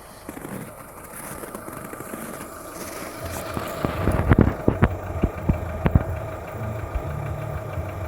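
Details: Skoda Fabia 1.4 at idle, cold: rough idle with sharp irregular knocks in bunches, heard mostly from below near the timing belt, faint hydraulic lifter noise; dealer says piston slap and normal, owner unsure, source unidentified.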